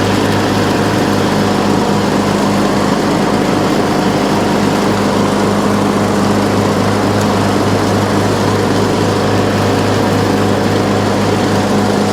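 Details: Troy-Bilt Pony riding mower, revived from scrap after electrical and steering repairs, all 7 speeds and blade brakes working: steady, even single-cylinder idle, smooth low thrum, no misses or knocks; idle is down great, running normally.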